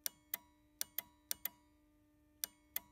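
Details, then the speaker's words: Relay in a car's added-on auxiliary switch circuit, heard as its button is pushed: crisp, sharp clicks in irregular pairs, about eight in three seconds, over a quiet background; the relay latches normally. "but anyway so if you hear the clicking that latches in this relay if you push the button the instant button"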